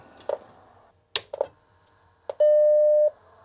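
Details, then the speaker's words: Macintosh Classic powers on with a single clean ding under a second after handling clicks; startup chime restored after repairing the no-audio fault. "A nice little ding. Sound is restored."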